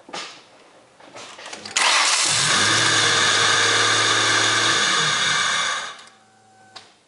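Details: 1998 Ford Contour SVT: after the engine catches, a steady harsh hissing grind sits over the idle for four seconds until shutdown; idler pulley grinding.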